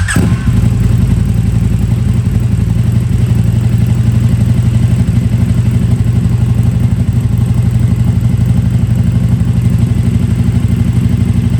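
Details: KTM RC8R with a swapped 2020+ third-gen 1290 Super Duke engine and electronics, first start after the swap: strong, even beat around four pulses a second, smooth deep exhaust note, no knocks or misfires; normal idle and revving.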